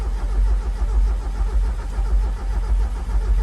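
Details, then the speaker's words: 1994 Mazda Miata, 86K miles, parked 11 years since 2013; steady rhythmic cranking, spins freely but never catches; owner suspects no fuel, hears no fuel pump and suspects a dead pump; has oil pressure. "sounds like it's not getting fuel it's cranking good I don't hear fuel pump I bet the fuel pump's d"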